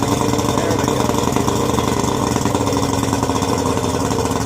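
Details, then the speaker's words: Yamaha 90 hp outboard, first run after rebuild with new pistons, rings, gaskets, rebuilt carbs, new water pump, double oiled, restart: loud, steady fast idle, no misfire or knocking; normal high idle until computer drops it. "normal high idle switch that Yamaha has that causes them to high idle until the computer says to low idle."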